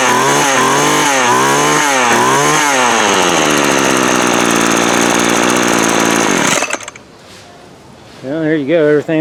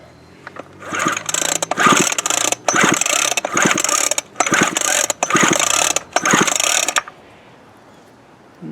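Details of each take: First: Craftsman 24cc 17-inch string trimmer that had broken fuel lines and primer bulb, fuel lines swapped and plug cleared; buzzy two-stroke revs in quick repeated blips, then idles evenly; running fine. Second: Craftsman 24cc 17-inch string trimmer with previously broken fuel lines and primer bulb, plug wet with fuel: six quick rasping pull-cord bursts of about half a second, silence after each, never catches; cranks but won't start, owner unsure of spark.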